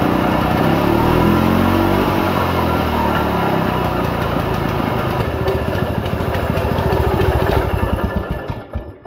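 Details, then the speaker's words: 1940s Simar two-wheel tractor rotary tiller being revived, carb just primed: its single-cylinder thump runs unevenly, slows and fades out. Idle is set too low and the engine stalls. "It stopped. Too low idle."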